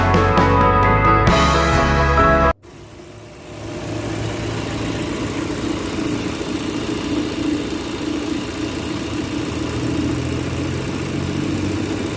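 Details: Proton Campro engine (AIFM) idling after a short burst of music: steady, even idle with a low drone and no roughness; engine sounds healthy.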